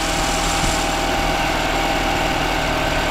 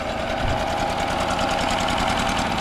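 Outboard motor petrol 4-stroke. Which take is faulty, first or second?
second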